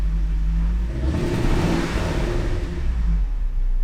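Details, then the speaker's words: Supercharged Range Rover L322 with slow return to idle, after MAF clean and new PCV valve, throttle body not yet cleaned: revs flare then fall back slowly, idle hangs and wavers; owner says still running rich on bad gas. Slow return to idle. "Yeah, it's still doing it a bit. Still on bad gas. It's still running on bad gas, it's still running rich."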